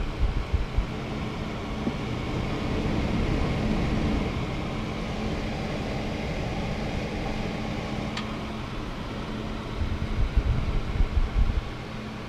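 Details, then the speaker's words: Corsair H110i cooler with ML140 Pro fans replacing stock fans, on performance mode: steady soft air rush, no motor hum, ticking or rattle; previous fans buzzed and whined from the motor on balance or performance. "So no sound, so except for the air, no motor sound, no spinning or anything, just air."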